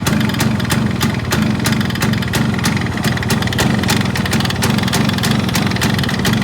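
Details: Yamaha RX135 two-stroke idling: sharp tick about three times a second over the exhaust burble; abnormal engine noise, source not pinned down.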